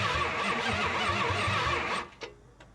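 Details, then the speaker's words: 1972 Chrysler Newport with swapped 440 big-block V8, sat since 2003, cranked with spark tester connected: even cranking about three beats a second for two seconds, never fires; no spark, owner suspects the high-performance coil on the stock ignition. "I'm a little concerned about the high performance coil with the regular ignition system."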